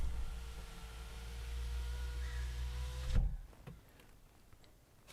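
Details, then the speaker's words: BMW E90 after rear window regulator replacement, rear passenger side window initialization run via scan tool service function; steady constant-pitch motor hum about three seconds ending in firm stop thump: normal power window operation. "look at this procedure has started windows opening and closing"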